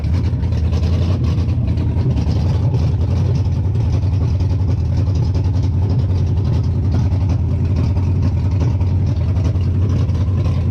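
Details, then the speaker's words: 98-03 Dodge Durango/Dakota Hemi swap, first start after disabling the CAN-bus ignition system and intake runner control and deleting EVAP: deep, steady V8 idle, even low rumble, no knocks or misses, shut off quickly. "I did crank and it started and I shut it off real quick because I want you guys to check it out"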